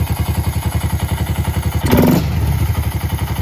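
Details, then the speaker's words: Honda Grom after replacing the stock airbox with an open intake. A steady single-cylinder thump at about four beats a second with a deeper intake rumble and a brief blip. The engine runs fine, just louder. "Sounds a bit louder too. I like it."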